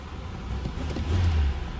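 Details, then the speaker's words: 1986 Oldsmobile Cutlass Supreme with upgraded 5.0L V8, three-speed automatic, about 20,775 miles believed original, stock exhaust, no cam: deep, even burble with quick rev rise, no ticks or knocks; normal running. "good sounding car does not sound like it's got any sort of aftermarket exhaust much for any sort of changes done there no cam anything like that just a nice smooth running v8"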